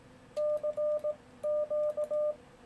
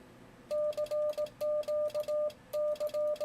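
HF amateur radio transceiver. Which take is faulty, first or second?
second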